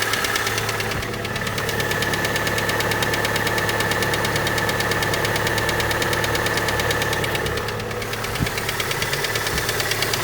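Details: Honda Prelude that began burning oil and ticking at idle: steady idle with light uneven tapping about three times a second resembling valvetrain tick; actually piston slap, no pressure holding wrist pin on one side.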